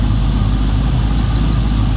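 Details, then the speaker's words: Freshly rebuilt square-body Chevy V8 (new cam, lifters, valve job, bearings, rings, gaskets) idling: deep, steady rumble with a thin, high chirping squeal from the accessory belt, with a V belt and flat belt sharing a pulley. "You can hear the belt squeaking. Yeah. I don't think anybody can mess with one of these and not have that belt squeak."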